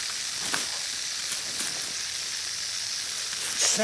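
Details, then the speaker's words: Backyard drip irrigation system with water on: a steady, high-pitched hiss like pressurized water escaping. Two line leaks are suspected, but their exact locations have not been pinned down. "it sounds like I I'm hearing two leaks and I'm not sure where they're at"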